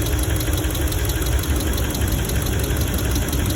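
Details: 2017 Ram 1500 5.7L at idle: a fast light lifter tick over a steady V8 idle plus a deeper knock underneath, with a misfire; owner thinks the lifters need replacing and will swap the number three coil to check.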